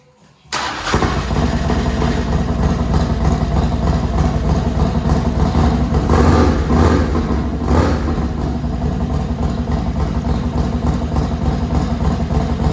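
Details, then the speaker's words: Harley-Davidson Dyna with a new Vance & Hines Pro Pipe, cold start: starts right up into a loping V-twin idle with light ticking over the beat. Lifter noise is suspected from lifters bleeding down overnight; pushrods may need checking. "A little bit of lifter noise when we start it up. We'll have to check push rods maybe, or change out these lifters if they're bleeding down overnight."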